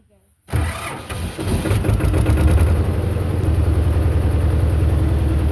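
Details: Belarus 250 tractor, two-cylinder air-cooled diesel revived after sitting for years with a fuel delivery problem: quick catch after a short crank, then firm, even chug at about three and a half beats a second, a healthy start and idle.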